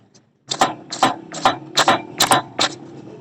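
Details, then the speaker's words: 2025 Honda CD 70 front end pushed down, giving six sharp creaking clunks, about one per push; the noise comes from the front shocks, which need repair and tightening. "तो इस तरीके से आवाज आए तो समझ लें इसके फ्रंट शॉक है ना उनको ही रिपेयर करना है।"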